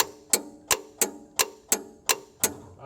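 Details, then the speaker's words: Amtex equipment automatic pump-out: with the key on, raising the recovery tank float makes the pump-out clutch click crisply about every 0.35 s, engaging normally. "you'll be able to see what happens when I raise the the float at the bottom which basically tells you that we have enough water for it to be pumped out as I'm raising it you'll be able to hear the clutch clicking"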